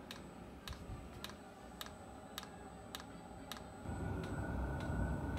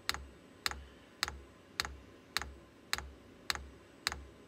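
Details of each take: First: VEVOR diesel air heater kit, permanently installed, just started at about 18°C: crisp, even dosing-pump ticks about three a second over a soft fan hum. No leaks and no carbon monoxide; normal running. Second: VEVOR diesel air heater kit with a long fuel line, not yet primed, glow plug heating: sharp, evenly spaced dosing-pump clicks at about 105 a minute as it tries to draw fuel. The unit then shuts off; priming suspected needed.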